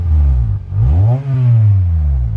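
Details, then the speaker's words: Acura TSX 6-speed manual during restoration: quick revs with a breathy, puffing, leaky exhaust note; exhaust leak blowing out, still to be fixed. "got that leaky sound it's just not good that's one of the next things we're gonna have to address"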